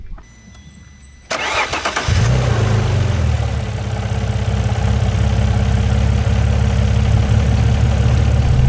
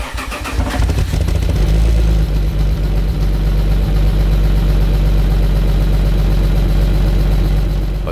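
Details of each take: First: Alfa Romeo 156 GTA, 3.2 V6 Busso, after engine work and bending open the disc flange that was suspected of rubbing: starter cranks, then the engine settles into a steady, even idle, nothing new heard; running healthy. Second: Alfa Romeo 156 GTA 3.2 V6 Busso, revived after ten years unused, with a rusty exhaust line and muffler roughly reassembled: cranks, catches and settles to a loud, hollow idle with an uneven puffing pulse, an exhaust leak.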